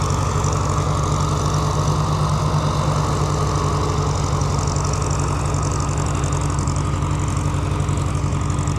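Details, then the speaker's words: Farmall H row crop tractor. Low, lumpy idle at about three beats per second with a gap in the rhythm; misfire, owner suspects a dead plug and has never heard it run like that. "yeah, she's definitely got a dead plug. I've never heard her run like that before."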